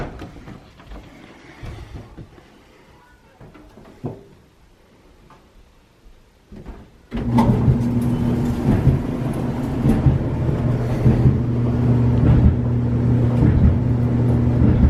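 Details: Samsung dryer after welding a broken drum seam and reassembly: steady low hum with even drum turning, no rhythmic thump; runs normally.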